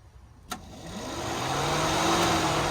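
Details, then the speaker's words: LS-swapped Chevrolet El Camino that was overheating, after repairing a melted, spread fan relay pigtail terminal temporarily secured with a zip tie: after a click, a whoosh builds within a second into a smooth, steady hum; radiator fan spinning up normally. "I put a little zip tie on it to get him by until we order one and then we can jumper it you can hear the fan turn on"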